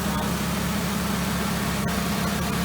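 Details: 2003 VW Eurovan VR6 after timing chain, guide and sprocket replacement, warming up after air purged: steady, even idle, smooth low hum, no knocks, ticks or rattles; normal idle.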